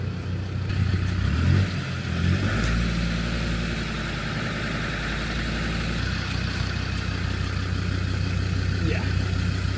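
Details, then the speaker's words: Land Rover Discovery 2 diesel idling, running very rich with smoke and blow-by: uneven, lumpy idle that surges and sags; intermittent mysterious fault, cause not found. "Something wrong with it. Don't know what it is, but we couldn't get it to trigger, but when it does, you definitely know there's something wrong with the whole thing."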